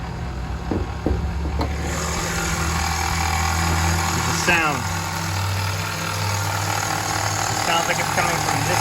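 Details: 2017 Honda HR-V at idle: steady low drone with an odd chirping whir on top, coming from one side of the engine bay and enough to suggest internal engine damage, but the cause was only a worn idler pulley.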